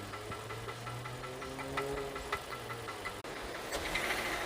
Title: 2020 Hyundai kona rod knock at 70,000 miles oil burner 🔥